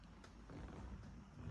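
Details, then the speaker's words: 1977 Fiat 124 Spider barn find after the battery dumped its load through the block and starter: heavy dragging groan, starter cranking far too slowly. The battery charges fine and a jump pack gives the same result, so the starter is suspected. "So it sounds like just a really weak battery when the starter turns over, but connected it to my jump block."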